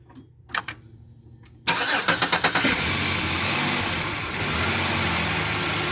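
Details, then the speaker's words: 2007 Chevy Equinox after replacing the alternator, idler pulley and belt to cure a whine: a short crank, clean catch, then a smooth, steady idle with no whine. The old alternator had a bad bearing. Normal idle. "it was definitely the alternator and the noise quit so there's a bearing bad in that other alternator"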